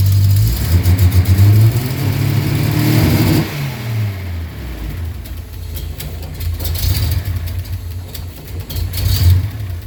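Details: Datsun 280Z six-cylinder idles rough and unevenly, sagging between throttle blips and stalling; it only keeps running with applied throttle.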